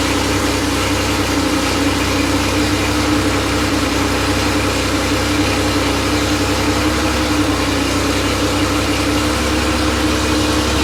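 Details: Freshly rebuilt Porsche 911 air-cooled 3.0SC flat-six at 3.2 spec, test stand, cold start after sitting overnight: steady, even fast idle, smooth drone, no knocks or misses; slightly rich warm-up, expected to settle near 950 rpm. Healthy.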